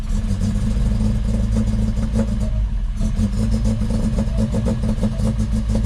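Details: 1966 Volvo 122S Amazon, cold, after weeks of sitting, with worsening cold starts and a recent no-start, possibly flooded. Battery trickle-charged. Lumpy, uneven idle with a ragged clattering beat. Owner says it runs really rough, almost like it's not getting fuel.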